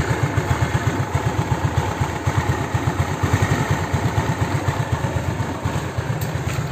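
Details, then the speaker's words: Honda Beat carburetor scooter after replacing worn, loose valve rocker arms and pins, plus piston gasket: even, steady low putter at idle, no top-end tapping; head noise gone after three days, runs smoothly and quietly, normal. "sumpah ini gua bahagia banget ya seharian tiga hari tiga hari ini motor headnya itu berisik terus ini baru normal sekarang nih hari ketiga"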